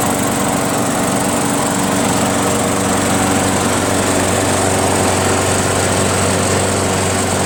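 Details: Craftsman 21-inch self-propelled mower, 6.5 HP Tecumseh single-cylinder, after carburetor cleaned of gum and reassembled: steady even drone holding speed without surging or misses; now starts and runs smoothly.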